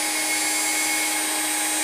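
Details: New spindle with VFD on upgraded 6040 CNC, running around 20,000 rpm: clean steady high-pitched whine, no wobble or rattle; spinning smoothly, healthy.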